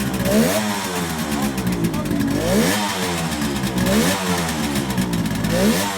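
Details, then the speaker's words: 1971 Kawasaki H1 500 two-stroke triple with rebuilt engine, long-stored: uneven, lumpy revving with ragged beat as throttle rises and falls; center cylinder dead, no spark found during ignition test; ignition or plug cap suspected. "okay we're testing the ignition but we have no spark on the center cyinder so we're going to try to figure out"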